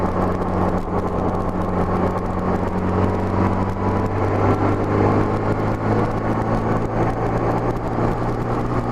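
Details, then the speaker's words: 1984–85 Honda GL1200 Gold Wing after Honda's low-speed driveability carburetor kit, even light throttle up small grades: smooth drone climbing steadily with no stumble or hesitation, carburetors pulling cleanly; normal cruising under light acceleration. "let's run an even throttle no hesitation at all holds up the little grades nice and smooth"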